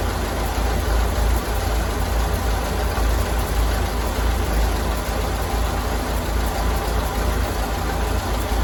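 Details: 1932 Ford Model B four-cylinder, idling after the spark plugs were cleaned, which the owner believes fixed the earlier failure on a drive. Low, steady, even idle with no misses or knocks.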